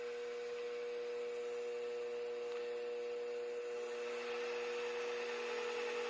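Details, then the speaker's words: Mini mill after belt drive upgrade kit install, first run in low gear (up to about 1100 rpm): very quiet, steady smooth hum, no gear grinding, clunking or metal-on-metal lever rubbing; belt drive running normally. "Here goes nothing. Man, that's quiet. I can barely hear it."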